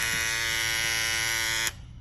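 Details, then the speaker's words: Babyliss FX3 trimmer that had started making a loud noise, fitted with a graphite FX707B blade (made for FX787 models): steady even high-pitched buzz, no rattle or chatter until shut off; much quieter, running normally. "It's a Fx3T, but it fits right on there. Way quieter."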